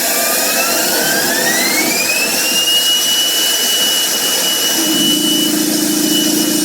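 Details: Home-built JM50 turbine, second start attempt: whistling tone climbs about three seconds then hangs at one pitch; won't make enough rpm to start, stalling short of self-sustaining speed.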